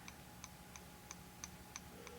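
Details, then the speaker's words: Rapidograph technical pen, freshly filled and gently rocked horizontally to start it: crisp, even ticks about three per second. This is the pump bringing ink forward to the nib, feeding normally. "you might hear the clicking sound this is the pump bringing the ink forward towards the nib of the pen"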